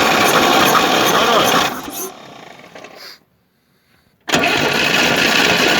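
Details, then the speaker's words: Moskvich 2140 engine that misfired, knocks, has water in cylinder 2 and oil in 3, and now starts badly: heavy, labored cranking with a dropping-out beat during homemade-gauge compression test reading 4, 2.5, 4.5, 6. Low uneven compression. "Перший 4, другий 2,5, третій 4,5, четвертий 6. Ну що, далі вскриття, будемо дивитися, що случилось."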